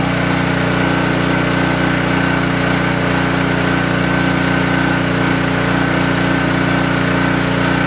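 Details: King Canada 3000W portable generator after blown-capacitor electrical repair and new air filter setup, started for load testing; smooth, constant hum at steady governed speed with no surging or hunting, running evenly.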